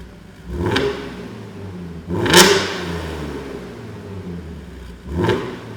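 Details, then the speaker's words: Audi S4 with the resonator deleted, an X-pipe fitted, and the standard cats and back boxes: free revs with a deep tone at low RPM that turns harsh and raspy higher up each rev. "really deep when you're in the lower RPM range but then as you get further up it starts rasping its nutes off like this"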